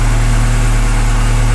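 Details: 1999 Chevrolet Corsa 1.6 8-valve after replacing the fuel pressure regulator for high fuel consumption: deep, smooth, even idle with a steady low hum, no misses, knocks or hunting; engine running healthy.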